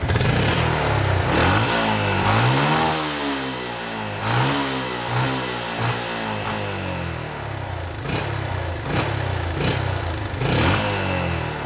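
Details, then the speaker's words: Yamaha Jupiter MX motorcycle after new tune: repeated blips up and back with clean, even note, fuller throttle, no delay, smoother engine sound; normal revving. "Jadi ini gasnya sekarang lebih padat ya, lebih berisi Dan tanpa delay."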